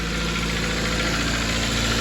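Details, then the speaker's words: 2008 Toyota Corolla LE, 114k miles, idling after repair and partial cooling-system bleed: steady, even idle hum with no knock, grinding gone; faint belt squeak, owner thinks from coolant on the pulleys. Normal idle. "Three, two, one. Oh, yeah. Toyotas do that. Uh, yeah. Cool. Sounds just like my gold one."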